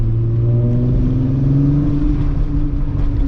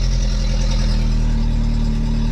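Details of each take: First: VW MK3 VR6 on a Sunday cruise around the block after new spark plugs were fitted to cure a misfire: smooth rising note pulling cleanly through the revs without stumbles or popping; no more misfiring; normal acceleration. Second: VW Mk3 at idle after a temporary exhaust patch (a flexible pipe section is still needed): loud, raspy, boomy note, much quieter than before but not right. Exhaust still leaking.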